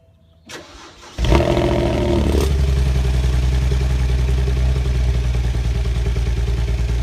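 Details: BMW Z4 35i cold start: long crank catching roughly, then lumpy, uneven cold misfire; injectors found leaking fuel into the bores at rest, six injectors ordered under warranty.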